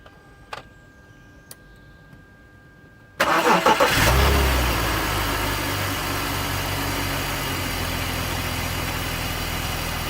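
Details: BMW E46 330Ci with an M54 six: cranks and catches, then a fast, fairly even rattle of roughly four beats a second at idle. It appeared much louder after a VANOS rebuild replacing the piston rubber and Teflon seal rings. Cause unknown.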